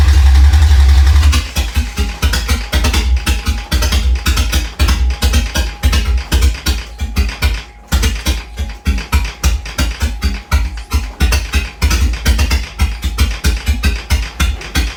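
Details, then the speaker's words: Toyota Cressida MX83, first start after engine reinstall, fuel primed, low oil pressure: starter cranks in an uneven chug near four beats a second, never catches; fuel and spark present, intake backfires, distributor suspected out of time. "Alright, so couldn't get it started, and was a little stumped. I had fuel, I had spark, but I couldn't get it started. My distributor probably wasn't in timing because I started getting backfires through the intake."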